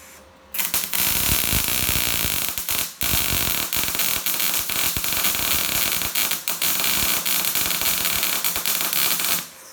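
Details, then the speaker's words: Telwin Synergy 210 MIG welder set for 2.5 mm on 2 mm steel: harsh, sputtering arc crackle for several seconds with frequent pops; welds look fairly clean but wire/voltage settings are too high. "ça crie ça te force à crépy beaucoup donc donc il ya quand même un petit problème de réglages ça crépite es"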